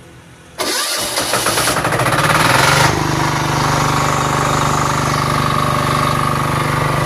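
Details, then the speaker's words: Diesel generator started with the compression lever released, lever set to run and key start: starter cranks briefly and the engine catches within about two seconds, settling to a steady, even idle. Normal start. "Lepas tu lever tolak dekat posisi run dan guna kunci untuk start."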